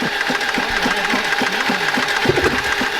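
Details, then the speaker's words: BMW E30 with a visibly busted piston, cranked: uneven, lumpy cranking beat at about three or four per second with no firing, compression clearly off. Broken piston. "we put the spark plugs in there we can definitely see the pistons busted but we're gonna try to start it anyways"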